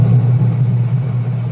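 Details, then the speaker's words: Washing machine after cleaning the gear case shaft and aligning the wash motor and gear case pulley: smooth low motor hum, metallic scraping gone; normal washer operation after repair. "Wala na yung ingay na parang nagkakayod ng bakal."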